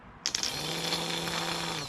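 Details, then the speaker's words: Key-start starter motor removed from a mower with a dead battery, bench-tested by tapping to power: clean whine spins up sharply after a few contact snaps, holds a steady pitch, then winds down; starter works fine. "there we go starter works so i can sell this starter with the harness the battery box key switch all in one so that'll be worth it"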